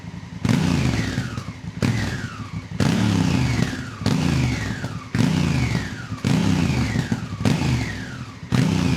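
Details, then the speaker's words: Honda Africa Twin after valve inspection and adjustment, oil, coolant and brake service, with exhaust baffles removed: repeated throttle blips to 4,000 rpm, each rising cleanly and dropping back with an even, deep twin note and no knocks. Healthy engine rev. "And now listen to this, 4 grand. It just sounds so much better. Oh man, it sounds mean in my opinion."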